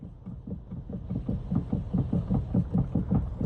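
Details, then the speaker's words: BMW X3 steering rack knock: dull regular clunking about 2.5 times a second as the wheel is turned left and right, also rattles over bumps; play in the rack, which was repaired rather than replaced, noise gone afterward. "宝马叉3打方向，咯噜咯噜的响，走颠路，咔啦咔啦的响。"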